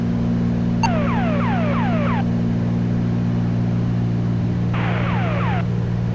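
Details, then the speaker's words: Twin-engine aircraft in cruise, monitoring guard frequency 121.5 on a backup radio: repeated downward-sweeping warbles over a steady engine drone are an emergency locator transmitter signal, reported to air traffic control for triangulation. "if you happen to be monitoring it you hear that noise that's the ELT noise"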